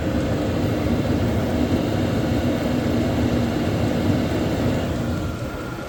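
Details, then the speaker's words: Hcalory diesel heater in a temporary setup, just ignited and warming up: smooth, even whooshing fan roar with a soft burner rumble beneath, steady throughout; heater running normally. "starting to get a little heat you can hear it spooling up"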